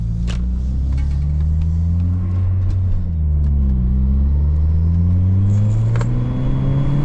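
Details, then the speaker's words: Saab 9-3 driving after the owner's misfire fix: deep, even engine drone rising and falling smoothly with road speed, no stumbles or skips; misfire cured. "So, I'm really hoping that did it. Oh my god. It did too."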